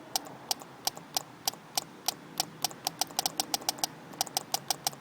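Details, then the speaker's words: Gas heater fuel pump bench-tested wired directly to a new 12 V pickup battery: crisp, light, slightly uneven ticks about four a second over a quiet background; the pump is cycling normally. "seems to be working good this is kind of what it sounds like when it pumps"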